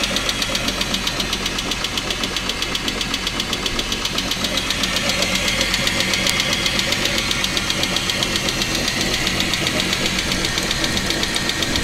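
A steady, sharp knock, about four a second, taps over a running petrol V6 engine.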